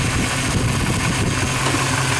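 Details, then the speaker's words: 1997 Chevy truck (Z), V8, intake spacer, EGR delete, computer tuned to standalone: smooth, even low idle with steady rumble, no knocks or stumbles; normal idle. "but the does run as you can tell so don't ever believe everything the internet says just do with what you got to do i mean it obviously runs"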